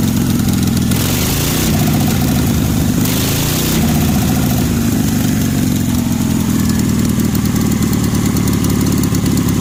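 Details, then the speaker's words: 1965 Cushman Truckster with an 18 HP OMC engine, after a cylinder jug swap, new spark plugs and carburetor tuning: after a brief choked start it settles into a steady, even putter without misfires; healthy idle. "So it is running, and I would say this thing is running pretty darn good."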